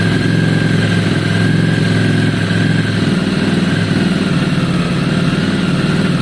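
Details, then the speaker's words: V-twin after some carb work, cold idle on choke: lumpy, uneven beat with the odd pop and spit. Runs rough until warm and still spits a little when the idle is raised; cause uncertain. "that spitting is interesting because that's something sultans does a lot as well it to be fair it doesn't do that when it really warms up"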